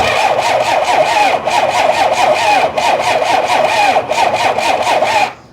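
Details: 1993 Dodge D350 Cummins turbo diesel, abandoned 18 years, with battery charger: slow labored cranking with uneven galloping beat, slightly quicker but dragging, never catches; valves working.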